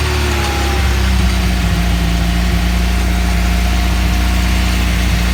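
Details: Nissan CA18 engine at steady idle with the AFM plugged back in and the exhaust leak fixed: smooth, even low drone with no ticking or puffing; normal idle.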